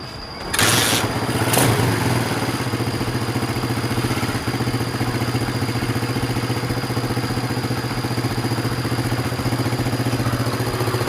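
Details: Honda Sonic motorcycle with hard starting and poor acceleration, fitted with a different carburetor: the engine catches after a few cranks and idles evenly without misfire; compression is somewhat low.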